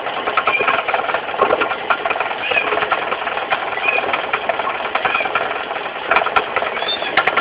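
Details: Mitsubishi 4G15 carburetted engine running busily with uneven knocking from down low at the front, the crankshaft pulley area: a loose crankshaft pulley, fixed by tightening it rather than replacing it.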